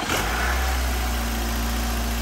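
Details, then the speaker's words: 2009 Nissan Altima after replacing all four spark plugs and coils to cure shaking and rattling; steady, even idle with smooth low hum, no shaking or stumbling, normal idle, owner believes it is fixed. "it's not shaking anymore did we fix it i'm like so excited right now i think we fixed it"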